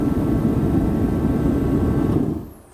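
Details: HeatStar forced-air heater running with a full-range thermostat: a steady, even roar of fan and burner holds without surging or sputtering, then fades as it is switched off; burning cleanly.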